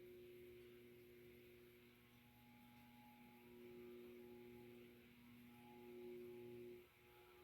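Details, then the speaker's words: Hampton Bay/SMC K56 industrial/commercial ceiling fan, circa 2000, made by Shell Electric, running on solid-state speed control; quiet steady low hum with faint constant whine, rated between bedroom and living-room quiet: normal motor hum. "All right, solid state, I think it's going to be bedroom quiet. silent. I'll say living room then. It's been a good performer."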